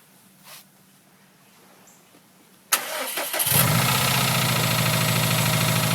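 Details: 2011 Subaru STi cold-morning start after being moved and shut off during warm-up enrichment: brief crank, then a rough idle with a steady knock, likely from a fuel-loaded cylinder pulling timing and clearing with revs; rod knock if it doesn't improve.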